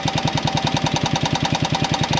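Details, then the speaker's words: Buggy project engine running rough: fast even metallic clatter, about nine knocks a second; owner suspects valves opening and closing, clatter louder with higher rpm; exhaust oddly no longer hot. Source unconfirmed. "ich glaube es hat auf jeden Fall was mit den Ventilen zu tun das hört sich so nämlich an das hört sich an als wenden die Ventile g auf zu auf zu so dieses plackern von Ventilen aber das wird ja mit höhere Drehzahl immer lauter"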